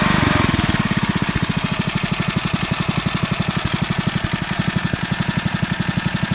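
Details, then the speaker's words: Single-cylinder engine on a finished REO Trikeabout after a new homemade flywheel key and NOS points and condenser, apparently running low on gas and likely to run out soon; even quick putter, no popping or misses; normal running. "start running until it runs out of gas sounds like it's starting to come down a little bit getting ready to run out of gas pretty soon I think"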